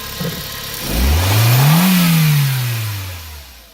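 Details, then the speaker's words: 2001 Mk4 VW Golf, 1.8T AWP turbo engine, stock exhaust before removal, hood open: one clean rev climbing smoothly and falling back to idle with light turbo spool, no knocks or rattles; normal revving. "Let's go ahead and start this thing up and see what it sounds like. Pop the hood. There we go. Go for it. You hear that little turbo spool?"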